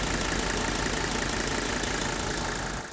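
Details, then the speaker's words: Mercedes diesel running on diesel purge, two cans over about 25 minutes with revs alternated to 2,000–3,000 rpm: steady, even idle clatter with a soft regular beat, no misses, shake or smoke; healthy. "Now, I've often laughed when I said I wish I could run my diesel on diesel purge all the time, because there's absolutely no smoke back there, and just look at how smooth this engine idles."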